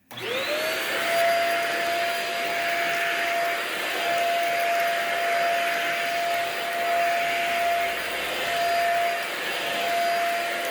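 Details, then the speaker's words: Basic hard-floor vacuum (GMO label, proprietary-fitting hard floor attachment, flip-down brush) running: steady shrill motor whine at one pitch with rushing hiss; sounds clogged, airflow choked somewhere, cause unconfirmed, though it still works. "sounds pretty clogged to me other than that it does seem to work so I'm not gonna do much with this"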